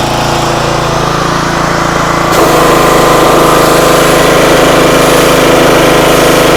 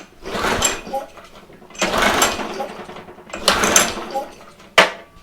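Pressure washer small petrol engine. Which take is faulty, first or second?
second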